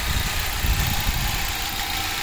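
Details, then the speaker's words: Ford Focus petrol engine at normal idle after new spark plugs, valve cover gasket and coil packs: smooth, even idle with light normal injector ticking and less vibration; check engine light still on. "sounds good nice injector rattle there and I am very pleased with that"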